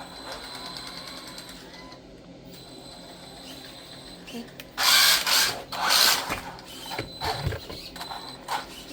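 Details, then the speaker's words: Traxxas Slash electric RC car doing donuts in a tight space, with an uneven mechanical clicking from the drivetrain while driving. "Or I guess I'll try to do the best donut I can in this little space, but you can hear it clicking."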